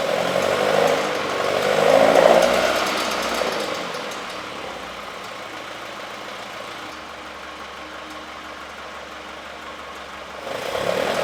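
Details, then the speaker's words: Freshly rebuilt engine in a 1967 Alfa Romeo Duetto Spider 1600, first start after at least 30 years, fuel pressure too high: light quick ticking keeping time with engine speed as the cooling fan touches its shroud. "you can hear a slight ticking noise which is the cooling fan just touching the shroud which is no big deal well at least not for now"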